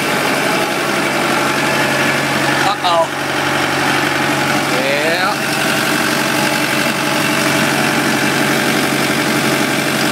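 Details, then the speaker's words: Kubota M100X tractor diesel at idle during a pre-trip check before a blizzard, Dec 30 2012: even, steady, unchanging beat with no knocks or misses. The engine sounds good and healthy. "Sounds good."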